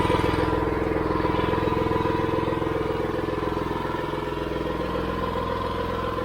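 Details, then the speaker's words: Gas-engine AR45 roof pressure-washer pump, first start-up at half throttle with gun trigger open, warming up before bypass setting: small engine runs steady and even with no misses or knocks; running good and smooth. "running good running smooth liking it"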